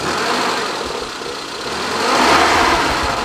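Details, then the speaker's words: 2004 Suzuki Futura Realvan DRV, engine dry with no oil seepage, starting immediately: smooth, even idle with no metallic knock or stumble; normal idle. "Oke, starter langsung jireng. Suara mesinnya masih halus, nggak ada suara yang aneh istilahnya, nggak ada suara metal, nggak ada suara pincang."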